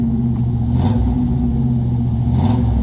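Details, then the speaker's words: 1958 Chevrolet Apache V8 after rebuild, used marketplace parts, held around 2,000 rpm while first running in, heard from the rear: deep steady even burble, no misses, ticks or rasp; healthy exhaust note. "We got it set at 2 grand-ish. We got to vary the speed. Well, it sounds real good, guys."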